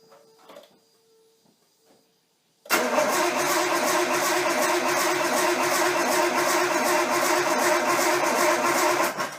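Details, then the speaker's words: Nissan 240SX S13 with swapped RB20DET, first start attempt after over a year sitting, with a temporary setup: the starter churns about three beats a second for several seconds and the engine never catches. Cause was no power to the crank angle sensor. "first our tent is a fail so the first start attempt was a fail I kind of stood around scratching my head for a little while"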